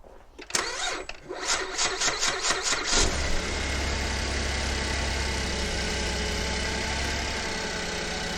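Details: 2011 Buick LaCrosse CXS on a cold South Carolina winter day, battery tested at 60% health with low cold cranking. Starter turns over sluggishly for a few seconds before it catches; weak battery, later replaced.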